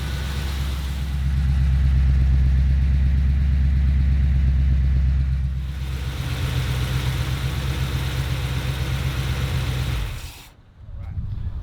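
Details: 1977 Ford F-250 460 V8 after the initial break-in is complete, timing set to 10° BTDC. Deep, even idle with a steady low rumble and regular firing: normal idle.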